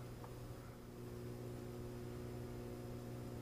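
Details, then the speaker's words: Two Magnum inverter/chargers on a 48 V Trojan L-16 battery bank, first startup on 60 A utility AC: steady electrical hum with a faint buzz as charging ramps to 91 A then drops to 50 A (21 A and 26 A per inverter), normal operation. "wow look at that charger is ramping up 91 amps right now all right now it's backing off dropping down 50 amps"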